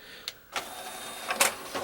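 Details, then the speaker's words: Pioneer LaserActive after the tray and outside were cleaned out: a quick motor whirr with a few crisp clicks as the tray draws in smoothly without strain; loading is now really quick. "It's really quick now."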